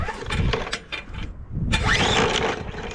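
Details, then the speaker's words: Bolens push mower with Briggs & Stratton 125 cc OHV engine, ran last year, fresh gas, primed: repeated pull-cord rasps turning the engine over without catching; no spark found; no-start. "well as you saw when i went to start this no spark i wasn't aware of that issue"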